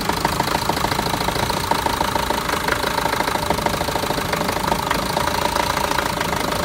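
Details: Renault Master diesel, fault code DF065 misfire: idle with uneven clattery knock about three beats a second; all four injectors and their wiring already replaced with new ones, no change, cause unknown.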